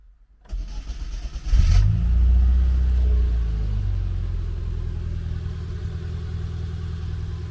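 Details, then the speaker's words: Classic Mini Cooper, long off the road, fuel tank and loosely fitted exhaust just installed, no proper battery: catches with a burst, runs roughly a couple of seconds, then sags and fades; starts then stalls, cutting out when power drops. "pump oh just cut out on me oh cut out again seems to cut out when the power turns off"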